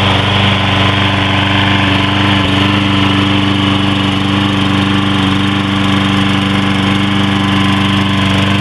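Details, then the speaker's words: Troy-Bilt 21-inch push mower with 6.75 HP 190cc Briggs & Stratton engine, ReadyStart with no choke or primer, started first pull: steady even single-cylinder chug, no knocks or misses; runs healthy. "so here we go with the tro build there we go that's good first time sounds"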